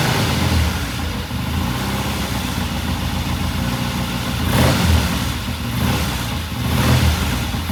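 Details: 1969 Triumph TR6 vintage British motorcycle, pilot jet cleaned and pilot air screw turned in half a turn for a richer starting circuit; after a cold start it holds a steady, even low idle with small regular swells, no misses or knocks: normal idle.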